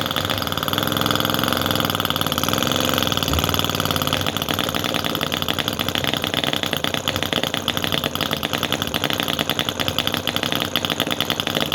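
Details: Cison FG-VT9 9cc petrol model V-twin with carb float: fast, even buzzing run with a steady high-pitched exhaust rasp and no stumbles. Finally running after a hard start, float now working, until fuel starts running out; normal running.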